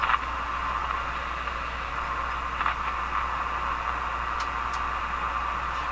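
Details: General Electric KL-70 AM/SW radio, AM loop antenna suspected of poor reception; weak, dirty spring contacts on the rotating shaft examined: steady static hiss with faint crackles, no station; radio static, source unclear.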